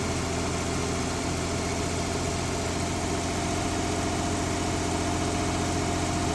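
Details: 1970s Mercruiser sterndrive (slight float drip) being winterized, after a little throttle: a steady, even low drone with no misses, knocks or hunting; warming up with oil pressure and charging good; normal warm idle.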